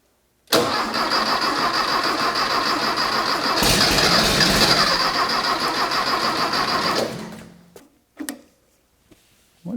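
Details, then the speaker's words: Rebuilt 1600cc dual-port VW engine in a custom dune buggy on a shortened 1973 Beetle chassis, first start attempt: even starter cranking about 200 beats a minute for six seconds, no firing; fuel reaching it, a runner leaking, owner thinks it's badly flooded. "getting fuel a runner leaking a little bit of something oh I think it's really really flooded now"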